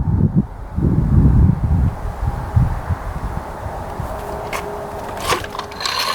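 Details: 1989 Yamaha YZ250 two-stroke dirt bike, bought as a non-starter: a few uneven kick-start strokes thump and clatter as the engine spins over but never fires; no start.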